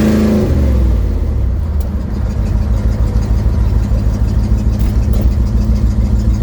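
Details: 1972 Ford Mustang driving home under load with a deep, throaty engine drone and a loose, puffing edge from an exhaust leak; phone recording from the dash.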